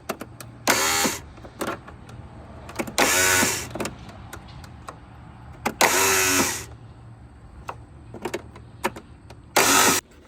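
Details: Husqvarna tractor with Kohler Courage engine, too much compression, won't run; starter solenoid gear stuck engaged. Four short bursts of cranking, each under a second and cut off abruptly, with quiet gaps between. Engine stalls against a broken push rod.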